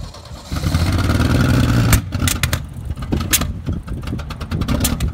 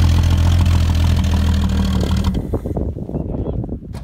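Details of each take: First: Ford XR Falcon ute, last registered 1982, after long paddock storage, now driving: uneven chuffing beat about three a second, lumpy with irregular pops; running rough, cause not confirmed. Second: Ford XR Falcon ute, last registered 1982, paddock rescue with new battery: low uneven rumble firing about four times a second for two seconds, then stumbles and dies; runs briefly after long storage, short fuel line not reaching bottle.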